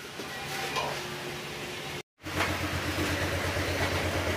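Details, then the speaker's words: Honda Click125 after engine overhaul for a loud "big bike" noise, fresh oil added, radiator off, brief run: even, steady engine note with low hum, no knocking or rasp; big-bike noise gone, quiet healthy running. "Paanda natin saglit para makita natin kung tunog big bike pa ba rin. Ayan, nawala na yung tunog big bike."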